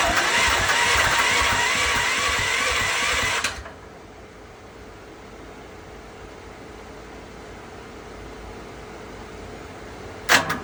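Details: Westinghouse WGen10500TFc tri-fuel generator on natural gas, hard starting since purchase: a few seconds of fast whirring cranking cut off without catching; it needs about 5 minutes of attempts, then runs normally; cause unknown.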